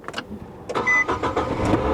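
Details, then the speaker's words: 2021 Ford F150 sold as non-driving, jump-started: short crank, catches almost at once and settles into an even, steady idle; runs really well, a normal start. "all be damn it actually runs great it it actually runs really [Music] well"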